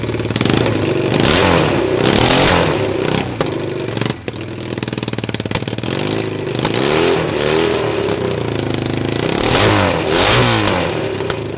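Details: Cheap Chinese ATV with a bad CDI, run off a jumper pack with the coil trigger wire jumpered: the engine snaps up and falls back through quick revs, picking up crisply; engine fine, though the clutches are bad.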